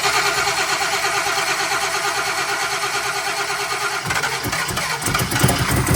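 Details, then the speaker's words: Very cold SBF turbo 383 V8 at idle after installing new rocker arms and lash caps, ignition timing not yet set: steady idle, the former metal-on-metal tapping is gone; only faint exhaust leaks remain. "so a couple of exhaust leaks but the tapping is it's got a little bit of exhaust leaks but the tapping is gone it was like a metal on metal tap so I'm happy with it"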